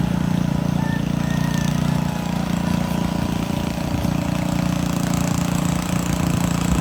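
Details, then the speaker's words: Montgomery Ward rototiller, small single-cylinder engine chugging unevenly, beat wandering and surging; fuel looks milky/cloudy, owner suspects water in the gas or carburetor issue, not confirmed; rough running. "What's that? I think it's got water in the gas. That's what I think it is."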